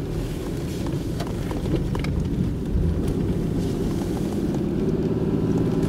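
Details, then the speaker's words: 1996 Oldsmobile Cutlass Ciera 3100 engine, driving with the knock sensor unplugged: smooth, steady rising drone under acceleration with no pinging. There is no knock activity and only about two degrees of retard, so power is restored once false knock-retard is removed. "how's it feel feels good smooth acceleration and so we have no-knock occurring with the sensor unplugged"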